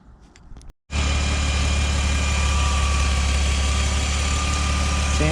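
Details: 1997 BMW Z3 2.8L just after fuel pump and fuel filter replacement; fuel pressure before the fix was 20 psi, original pump suspected weak: engine catches and settles into a steady, even idle with a low smooth hum, no misses. Normal idle.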